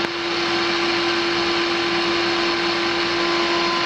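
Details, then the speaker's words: Pool pump motor at a 1970s East Dallas home, heard during inspection right after the main disconnect switch was tested: steady hum with a coarse, gritty rush; bearings rough, motor slow to reach speed. Loud, worn motor bearings. "now that those bearings are a little rough doesn't it it takes just a little while for him to get the speed"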